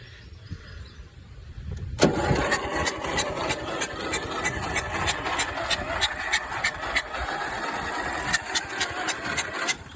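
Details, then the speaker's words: Toro fitted with a used 12.5 hp Briggs engine from another machine, first start attempt after fueling: starter cranks in sharp, fairly even beats about three a second, but the engine never catches; owner suspects a stuck valve, not confirmed. "Don't sound very good. Sounds like it's got stuck valve or something."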